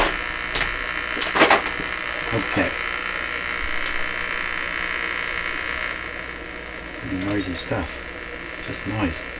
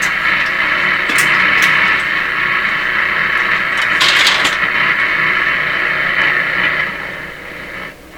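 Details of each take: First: Nordmende Traviata 59 tube radio, after capacitor work, hooked to shortwave antenna: steady hiss and crackle with faint whistle and occasional chirps, no station coming through; just shortwave static noise. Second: Nordmende Traviata 59 tube radio after capacitor work, antenna probably not rotated correctly: steady unmodulated hiss between stations with faint bits of stations drifting in and out as dial moves, still weak output; normal inter-station hiss.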